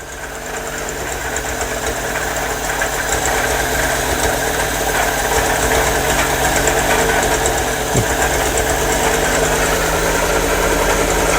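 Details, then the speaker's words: MGB 1800cc engine idling cold just after first start in years, no choke on: lumpy, uneven idle with a loose irregular beat, sounding like it runs on two or three cylinders; owner suspects the missing choke and will check the plug leads. "i don't think there's a chokes on the tool so that's probably why it's quite lumpy"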